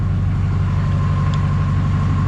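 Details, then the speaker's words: GM LMM Duramax diesel truck after engine replacement, new muffler; slow crank blamed on batteries drained by light testing: steady, even low diesel clatter at idle, no misses or knocks; ~60 psi oil pressure, charging good, normal. "new muffler sounds good have to double check that light but you can see here we're still holding almost 60 lb of oil pressure we're charging good"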